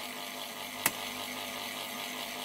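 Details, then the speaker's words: Old Plank Norris 8 Super 50 projector after rewiring, plugged in: soft, even whir holding a steady pitch with one brief click as the drive motor runs normally; smoke appears afterwards. "all right let's plug it in and see where we go hopefully right the motor's going as you can hear"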